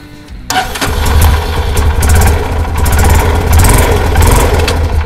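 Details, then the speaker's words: Karizma motorcycle after chain properly fitted to cure a body noise: cranks, catches and settles into even idle with a couple of blips; no metallic rattle from the chain area. "और यह problem चैन dot को अच्छी तरह से fees करने से problem दूर हो गई"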